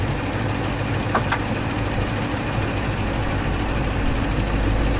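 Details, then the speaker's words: 1964 IH Travelall C1100 V8 during timing and carburetor sorting; fuel pump suspected too strong, overfilling the bowl; idle adjusted down from about 1,000 to 850 rpm: low, steady rumble, no hunting or stumble; sounds much better, best so far. "pretty good. Yeah, that sounds much better."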